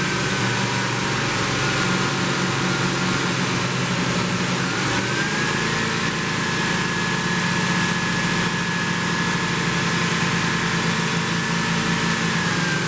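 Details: 1972 Plymouth Roadrunner 383 Magnum V8, after sitting 15+ months unrun, during cam break-in: steady raised idle, even low rumble with a faint constant whine on top, runs smoothly; normal fast idle.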